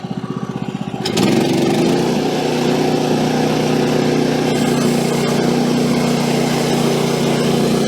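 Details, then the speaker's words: Woodland Mills HM130 Max portable sawmill, cutting a small silver maple log after tensioner bearing replacement: engine takes load and the blade cuts at an even pitch with no surging, so the fix worked. "All right, so no surging at all on that one. So that's good. It's kind of what I was hoping for."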